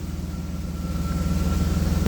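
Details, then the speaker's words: Cold AJ30 Jaguar / Ford Duratec V6 in a Gilburn Invader on ME360 ECU: smooth, even low rumble with steady pulse, no hunting or misfire; idling better than before. "So anyway, that my friends is an improvement. It's as I said cold and even for the fact it's now idling better."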